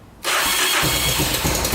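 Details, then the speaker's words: 1986 Honda FourTrax 350cc 4x4 ATV electric start after fixing starter gear engagement with a thicker gasket; starter spins cleanly with no grinding and the single catches almost instantly into a steady run. "all right so we made the uh the starter gears work with that thicker gasket and uh it's very smooth sounds good no grinding"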